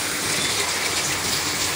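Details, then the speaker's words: LG top-load automatic washer, inverter direct drive, 10 kg. It had a metal-on-metal knock underneath during wash (spin was fine). Now full of water, it agitates with even swishing and no knocking. Normal after repair. "Yan, nag-wash siya ngayon. Tapos wala nang maingay. Wala nang tumutunog."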